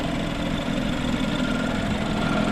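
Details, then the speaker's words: 10-year-old BMW 328i wagon, about 80-something thousand miles, idling with a loud, busy mechanical noise and faint whirring on top; louder than factory, possibly a belt, cause unclear. "I don't know if that engine noise should be that loud. Um, it sounds like maybe a belt or something's kind of loud on this car. Definitely definitely a little louder than I think it would have been in the factory."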